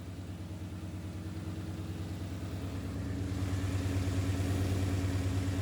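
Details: Brand new Ford 5.0 crate V8 in an S550 Mustang drift build, just after first start: low even burble firming up and steadying, no ticking or clacking; healthy normal idle.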